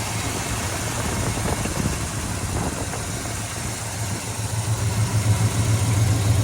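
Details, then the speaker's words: 1970 Chevelle Malibu, 307 V8 rebuilt under 5,000 miles ago, 103,517 miles, factory manifolds, newer dual exhaust, no overheating problems. A low, steady, even idle burble with no ticking or knocking: a normal V8 idle. "Okay. Let's listen to the exhaust. Let's check out the engine. Sounds excellent."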